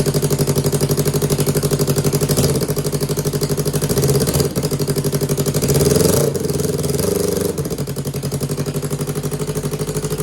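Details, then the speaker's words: 2015 Yamaha R3 twin engine, revived after a year without running: even, steady firing beat with a couple of small throttle blips, both cylinders pulling; normal idle near 1,500 rpm. "Yes. This sounds like both cylinders. Yeah. Like yesterday, it was like boom, boom, boom. Yeah. It's idling. It idles at like 1,500."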